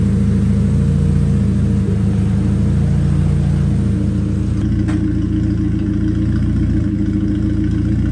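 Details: Toyota Starlet EP82 with four new spark plugs, engine not yet warmed up, runs with an uneven stumbling beat and irregular dips. The misfire persists after the plug change; cause not found.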